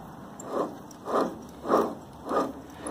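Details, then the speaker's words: Supermax mill Y-axis replacement servo motor, sold on eBay as new but actually used, turned by hand: rough scraping swish repeating under twice a second, and it locks up when turned the opposite way; faulty motor. "I also got a new servo motor replaced the y-axis but the one I got from the seller I bought it off eBay it was bad you can kind of hear it here's the motor here you can hear it"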